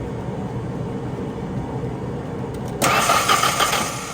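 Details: 1997 Mazda B2300 (rebadged Ford Ranger), cranking during no-start diagnosis after fuel at the rail Schrader valve was confirmed: steady starter churn, then a louder rush, but the engine never catches. Fuel, spark and air present; cause not yet found.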